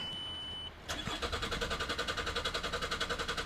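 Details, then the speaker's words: 2003 Ford Galaxy 1.9 TDi PD diesel: steady fast cranking about three and a half beats a second without firing, starting only after a minute or two. Fuel pressure suspected, possibly injector seats or seals. "there we go rpm but actually if you just keep crank crank cranking it eventually starts after about a minute or two so we know what's to do with fuel and it'll be to do with fuel pressure"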